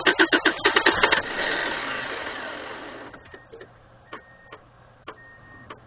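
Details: 1997 Subaru Outback with a blown head gasket, very low on fuel and then out of gas. Quick cranking, a brief catch that fades, then scattered clicks; hard starting.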